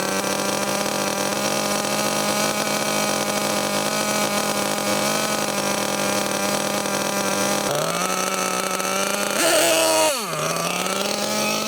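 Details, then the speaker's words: Losi LST XXL2 1/8-scale truck, .31 cu in gasoline two-stroke, first run at high elevation: it screams high, sags, surges, then dies. It is running too lean, with the high-speed needle barely out; pinching the fuel line cuts fuel. "never just pinches the fuel line there so it cuts fuel off that's why you hear the engine go up high and then die so highspeed needle is 17 hours out it was hardly out at all was it okay so it was too lean obviously we could hear it was too lean"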